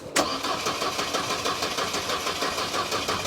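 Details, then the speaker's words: Mercedes W210 parked for a while, suspected stuck fuel pump: starter turns over at a steady even pace but engine never catches; crank no-start, pump heard earlier but now no life, no fuel pressure. "No. Turn the pump off. Turn it on again. There's no life out of this pump."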